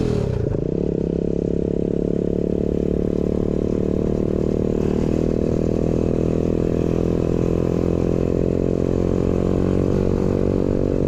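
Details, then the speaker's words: New 125cc four-speed kick-start engine in a custom Pagsta chopper with a newly made exhaust, riding: little four-stroke pulls away and holds an even steady drone under load, clean throttle response, no tapping or clatter; healthy. "sounds good guys it's got a nice little St to it yeah I'm happy with that way better"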